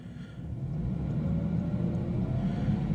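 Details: 1994 Jaguar XJS 6.0 V12, de-catted downpipes and aftermarket rear exhaust, recorded before the new front exhaust section is fitted; running hot, possible coolant airlock: smooth, quiet low rumble rising evenly toward about 2000 rpm, no knocks or misses; normal rev.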